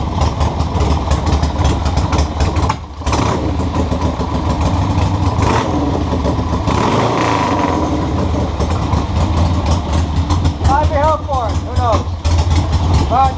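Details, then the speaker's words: 1976 Harley Ironhead Sportster after repeated intake air-leak repairs, electric start: starts and idles unevenly with a brief stumble and throttle blips; leak believed fixed but still rough, carburetor or points suspected. "now it doesn't run perfect but it does what it does"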